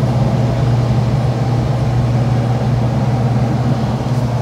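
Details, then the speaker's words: Lennox air handler after maintenance: smooth steady low hum and even airflow rush with no rattle; return previously rattled, now fixed and quieter. "when i came over here the first time the whole uh return was rattling i don't hear it anymore yeah i think that done it there"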